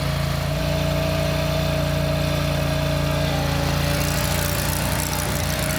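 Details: Country Clipper Boss SR1200 zero-turn mower engine, run at full throttle: steady, even drone with a constant low pulse and no misses, knocks or surges; runs healthy.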